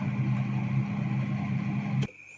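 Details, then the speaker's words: Refrigerator after removing an obstruction that caused a noisy fan: steady, even low hum with no rattling or scraping for two seconds before cutting off, cooling restored; normal fan running. "Nah, itu kita lihat baling-balingnya berputar. Ini sudah terasa freonnya keluar, tidak ada bunyi lagi."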